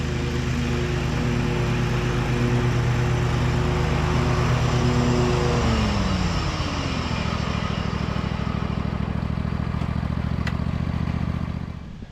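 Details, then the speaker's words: 2003 John Deere L120 hydrostatic mower, Briggs 20 hp V-twin, mowing after repairs and deck leveling: steady engine drone, deck spinning smoothly, even pull easing near end; nothing rubbing, healthy. "all right well I think that's going to do it for this machine we uh had quite a bit of work on it but now the deck is nice and quiet it's driving nice and smooth it's running good"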